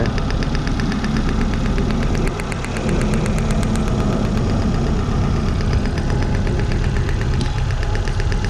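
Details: 1996 Toyota Corolla, 1.8 distributor engine, code P0301, hard misfire: idle with regular ticking stumble over steady low rumble, one beat missing each cycle; ignition wire arcing at a seam found via secondary ignition testing.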